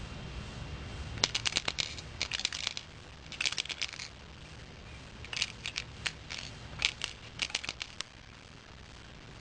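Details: 2 amp charger shaken by hand: bursts of light, tinny clicks and rattles each time it moves, suggesting something loose or broken inside the case; cause not confirmed.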